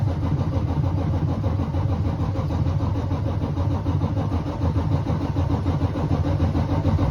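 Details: Freightliner with a 14L Series 60 engine on a hard start: low, steady cranking at about three turns a second with no firing through a long crank.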